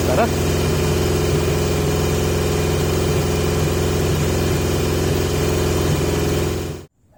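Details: 1980 Yamaha XJ650 with pod filters taped over to restrict airflow, before refitting the airbox: loud, lumpy, wavering idle with no steady rhythm, then it cuts off; erratic idle, cause not confirmed.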